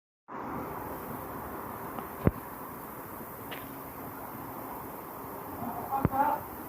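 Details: Lexus LS460 with direct injection idling steadily, broken by occasional sharp pops: misfire from a faulty GDI fuel injector.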